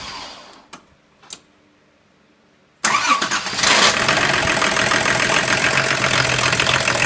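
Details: 1987 Volvo 760 GLE Turbo Diesel wagon, D24TIC engine, first start in 7 years after engine repair (cylinder head broke from cooling failure): a few faint clicks, then catches and settles into even, steady diesel clatter at idle; normal start.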